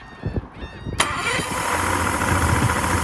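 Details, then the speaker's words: 2006 Yamaha 150 TXR two-stroke outboard restarted without choke after a hard run: uneven cranking, then it catches with a roar and settles into a low, lumpy, fading putter, dying at idle. Fuel starvation or a bad spark is suspected. "that's on the fire right back up. But see, it's dying again. It's like the RPMs are really low."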